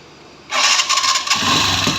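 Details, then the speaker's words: TVS Sport carburetor motorcycle after reconnecting the carburetor pipe: starts after short crank and runs steadily with no popping or spitting; popping noise gone. "देखना आवाज आ रहा तर से खत्म हो चुका"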